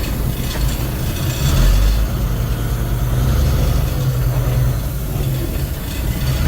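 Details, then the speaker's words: 1999 Freightliner FLD120 diesel idling roughly with an uneven stumbling beat about four times a second: cylinder number one is ice cold and not firing. It will need an injector; a test drive is planned to see if it fires up. "so number one is ice cold so it's not firing that's why I'm taking it for a run to see if it'll fire up it's going to need an injector"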